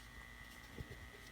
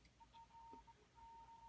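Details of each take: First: Zenith 5R086 tube radio on an isolation transformer, antenna connected, warming up: faint steady low hum with a thin high whistle and no station received; a leaky 0.0002 mica capacitor is suspected. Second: Zenith 5R086 radio after restoration, run through an isolation transformer with a signal generator fed through a capacitor into the phono pins: a clean, steady high tone comes through the speaker, so the phono audio stage works, though radio still leaks through.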